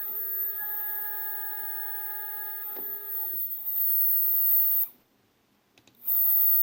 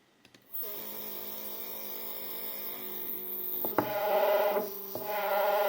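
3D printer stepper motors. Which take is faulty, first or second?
second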